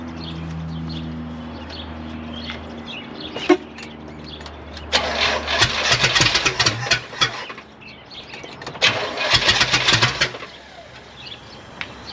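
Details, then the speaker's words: 1972 Oldsmobile 98 V8 running. It catches and revs in uneven, stumbling bursts, lazy to pick up; ignition timing too retarded, needing more advance. "okay we just need a little more advance [Music] try that"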